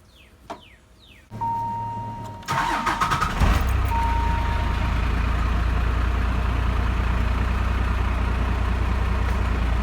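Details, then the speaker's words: Cummins diesel truck after a new Gates belt and tensioner were fitted; it cranks briefly, catches, and settles into a steady, even idle. The chirp or squeak heard before, at a sustained 2000 rpm, is gone. "normally right now I'd be hearing a lot of annoying chirp since weeks but that's all gone I think this really did the trick the new belt and tensioner"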